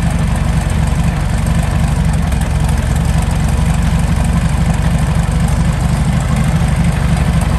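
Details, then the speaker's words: Meteor Interceptor V12 (Centurion tank engine), warm idle about 540 rpm: transmission pressure 15 bar; deep steady even rumble, no knocks or misses; normal idle. "here we can see that the coolant temperature is up at 78 degrees celsius ignition angle 10 degrees before top dead center"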